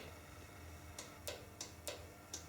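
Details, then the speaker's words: Land Rover Defender 127/130 Cummins conversion: stop solenoid fed 12 volts from the ignition light, tested before starting; crisp light clicks, about six in under two seconds over a faint hum, the stop solenoid pulling in normally. "this one is your stop solenoid so it's going straight to the little 12 volts on light up there and if we listen carefully you should be able to hear it click"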